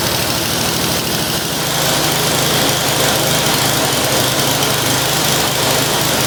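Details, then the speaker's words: Curb-find snow blower started with brake cleaner: steady, even small-engine drone with no misses or knocks; runs cleanly. "I think everything might actually work on this thing. Um, that's kind of awesome. Well, that was a really easy will it run."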